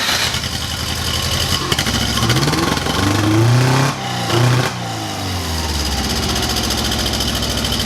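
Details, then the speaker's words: Porsche 914 project with newly fabricated exhaust (header plus cheap temporary muffler) to quiet it and fix wideband reading: crisp blips climb and fall back to steady idle, no rattle or exhaust leak; healthy flat-four revving cleanly. "I don't know if I you guys but I think it sounds really good"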